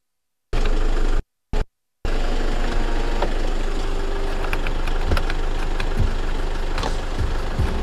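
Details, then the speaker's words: 2012 Toyota Fortuner G VNT 2KD turbo diesel automatic, 152,000 km, freshly serviced, dry engine with no blow-by; starts and settles to a steady low even idle clatter, typical 2KD diesel sound, no knocks. "lihatkan mesinnya, ciri khasnya diesel 2KD ya, khas suara dieselnya."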